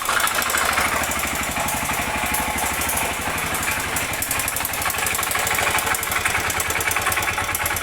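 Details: Honda Bros 125 motorcycle single idling with a steady fast tapping knock from inside the engine on every beat; the owner suspects the connecting rod: engine knock.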